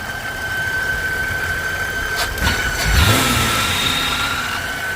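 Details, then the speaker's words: 2001 Chevrolet Impala 3800 V6 after intake manifold install: thin steady high squeal over a rough idle from the serpentine belt area; a bearing is suspected (alternator, water pump or power steering), not internal, unconfirmed. "something is screeching like a bearing is going bad um I don't think it's internal doesn't sound like it"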